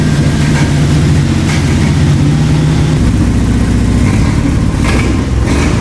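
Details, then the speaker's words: 1990 Toyota Pickup with swapped 3.4L 5VZ-FE V6: loud fast idle with uneven stumbling beat and dropped pulses; misfire with high idle, ECU suspected bad. "go oh guys it's starting to run a little bit better but still definitely has some sort of a miss you can hear and it's idling a lot higher than it should be too"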